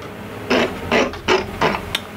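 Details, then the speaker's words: 1998 Hobart Handler 120 MIG welder wire feed motor before cleaning: whirs in uneven bursts, surging and cutting out about three times a second; dirty, oxidized wire feed speed rheostat contacts make feed erratic; cleaning them quieted and fixed it. "well that does it for this miss repair just a dirty wire feed rheostat that was it so"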